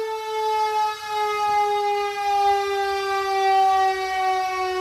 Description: Returning a 2019 Q siren back in service on a 2020 pumper. This Q now has a late 80's chopper and clutch installed.